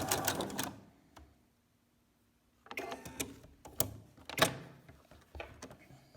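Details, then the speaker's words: Sewing machine threaded correctly with proper tension: short runs of quick, even needle ticking with clean stops and no snagging or knocking, normal stitching with no looping underneath. "And so you won't see any looping or any problem at the bottom."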